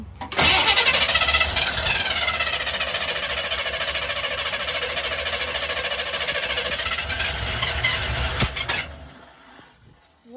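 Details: 1982 K10 with a $20 junkyard Holley 600 CFM vacuum-secondary carburetor that had been sitting and was badly set up: a long run of fast starter whirring that never fires. Hard start; cause not confirmed.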